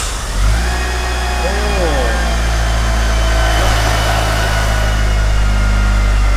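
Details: Mitsubishi Evo 6 Tommi Makinen Edition started after sitting about six years, oil pressure confirmed first: cranks, catches and flares briefly, then settles into a steady even idle. Normal start and idle.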